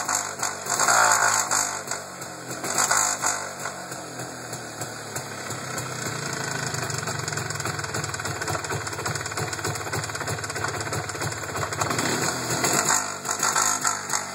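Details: MZ ETZ 251 two-stroke motorcycle, noise present for five years of ownership: revs up then falls to idle with uneven rattly clatter as rpm drops; abnormal deceleration noise, cause unknown.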